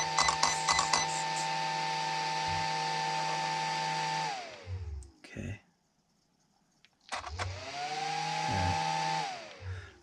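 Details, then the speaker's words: Traxxas XRT RC conversion, fan checked with the cover popped off after it would not spin: high, steady whir that winds down, stops and spins back up to the same even pitch; the fan now runs freely. "that fan is going now"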